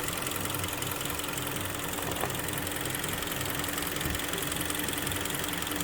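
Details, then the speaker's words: Kia Sportage 3 with the 2.0 G4KD engine, first start after an overhaul that fixed a knock at about 105,000 km, heard from below while warming up: smooth, even idle with a faint hum, no knock or tap, dry and quiet. "Все сухо. Все тихо. Прогревается пока. Все хорошо."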